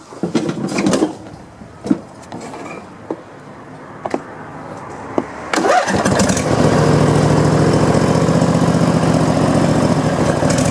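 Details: Briggs & Stratton 25hp V-twin after piston ring replacement, test run, battery charge uncertain, previously smoked white: starter cranks in short bursts, then catches and settles into steady even run, no misfire or knock.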